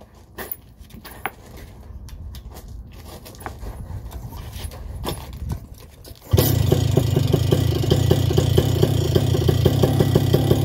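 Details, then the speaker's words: Vittorazi Moster 185 paramotor, already warm, after leaning the low needle: starts much better and holds a buzzing idle whose rpm creeps upward without throttle, showing it is now slightly lean on the low needle. "started much better you can hear the rpms increasing so i haven't touched the throttle yet"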